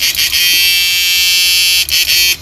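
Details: Repaired 9999000W 14T black inverter (new version no.3) on first test after repair: steady high-pitched buzz, even until it cuts out near the end, before its protect resistor was replaced; running fine.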